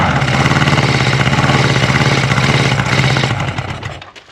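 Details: Honda CB550 four-cylinder, clutch held in, choke in question: it runs with a fast, slightly uneven pulse for about three seconds, then dies as the fuel lines run dry; smoke comes from one side.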